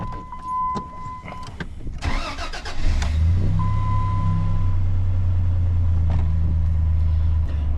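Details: 2003 Dodge Ram 1500 3.7L V6, 234k miles, after replacing fuel injectors, ignition coils and spark plugs to fix misfires: short crank with chimes, catches quickly, settles into smooth even low idle with no stumble; misfire repair successful.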